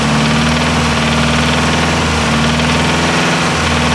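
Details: Nissan S13 with CA18DET engine: loud steady idle with a deep repetitive knock in the engine noise; owner unsure whether it needs a crank grind. Cause suspected, not confirmed.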